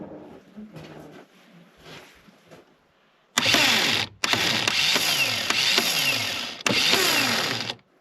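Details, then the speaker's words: Reliant Scimitar GTE revival project, starter powered directly from a battery with jump leads: three quick bursts of fast, high whirring, each fading with a falling whine as it spins down. The starter turns strongly and works normally. "Sounds like it's working. Good."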